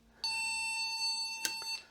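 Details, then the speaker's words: Olivetti M300-30 486 PC with cracked, bent motherboard after a drop, at power-on: one long steady high-pitched beep about 1.5 s, green light on but no video on monitor; board posts, fault unknown. "And it's beeping, but there's nothing on the screen. So at least something is happening."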